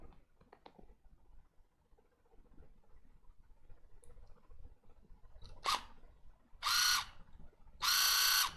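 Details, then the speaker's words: Water flosser repair: its small motor, rusted-looking, is bench-powered at 3.7 V and gives short bursts of high, even whir, spinning up cleanly; the motor works, yet the device still won't turn on from its power button. "the motor is working as you can here but why doesn't it turn on"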